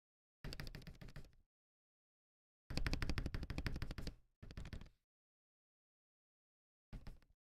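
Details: Akko ACR Pro 68 spacebar after reinstall, without chatter: short bursts of quick, muted clacks with clean silences between, no hollow rattle; spacebar sounds solid.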